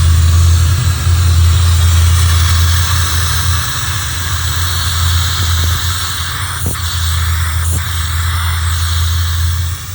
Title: This is my c4 corvette rough idle no cooling errors